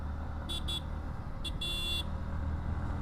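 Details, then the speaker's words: Yamaha MT-15 ridden after about 21 days unused, engine idling: two short horn blips and a longer one, thin but present; horn weak and intermittent, owner suspects rat-chewed wiring, low battery or rust. "मित्रांनो गाडीचा हार नाही वाजत आहे ऐसा Q हो गया रे असं झालं नाही मित्रांनो कधी आता काय उंदराने वायर वगरे खाल्ली असं वाटते मला काम करून ठेवल उंदराने माझं शी वाजला आता वाजला ओके माझ्यामध्ये जरास बॅटरी लो वगैरे झाली असेल ना त्याच्यामुळे पण असू शकतात"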